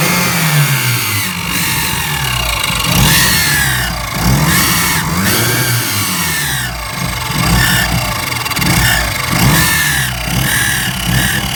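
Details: Mitsubishi Evo 6 with a running problem: engine blipped repeatedly, and each time revs fall off throttle a high screech sweeps downward with them; screech on deceleration, source undetermined.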